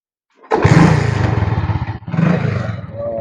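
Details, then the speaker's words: Chinese Tosa motorcycle for sale, started by the seller: fires on the first try and settles into a quick, even putter with only a brief dip; a healthy small motorcycle engine. "Oh, mesin masih enak. Pokoknya enak motor Cino lah mas."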